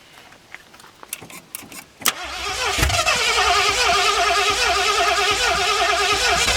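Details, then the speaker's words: 1981 Mustang 5.0 V8, carbureted, parked since 1996, first start attempt on a temporary homemade aluminum fuel tank: scattered cranking clicks, then one sharp backfire pop through the carb, settling into a loud ragged fast idle. "That initial fire scared me. I wasn't expecting it to happen so soon."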